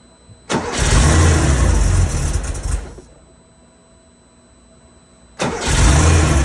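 Engine catches roughly, runs ragged for two seconds, dies out, then fires again with a lumpy idle, pointing to vacuum leaks.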